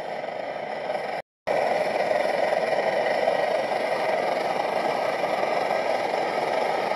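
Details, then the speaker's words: MSR XGK multi-fuel stove, over 20 years old, after basic service, once primed: steady, even full roar with no sputter or surging after a brief gap, burning properly at full output. "let's here we go that's it there so it's just absolutely raging"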